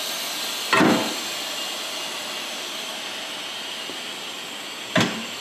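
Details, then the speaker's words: Coats Baseline 200 tire changer: continuous high hiss of an air leak that never stops while the tire is being changed, so the compressor runs nonstop trying to keep up; air had to be disconnected; two sharp knocks from handling. "you hear that hissing it never stops it just keeps on hissing and then winds up my compressor runs continuously trying to keep up with it"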